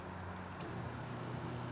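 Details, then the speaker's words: 1991 BMW 735iL power seat motor after repair, moving forward: low steady electric hum, no grinding or clicking; seat drives smoothly. "She works. Yeah, baby. Forward. Nice."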